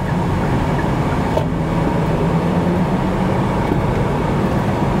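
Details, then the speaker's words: 2017 Kia Niro, 234,000 miles, driving slowly while swerving: a steady low hum over road noise that comes and goes with load, from a worn front hub bearing, the customer's humming vibration complaint. "kind of swerving back and forth at low speeds you can hear the noise come in and come out and come in and come out"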